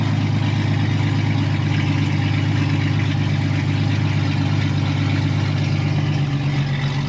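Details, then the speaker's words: Cheap old Jeep with an automatic transmission at first start: deep, loud, rumbling idle with a heavy low drone and no damping, as if the muffler were missing or broken. Cause suspected, not confirmed. "this thing sounds like you've got no Muffler bro this shit's broken"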